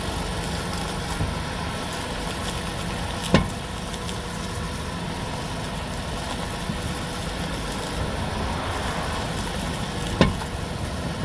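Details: 2011 Toyota Sienna XLE AWD: a steady idle broken by a few sharp pops or clunks as the steering wheel is turned, typically at idle or maneuvering in tight spaces; no other driving noises.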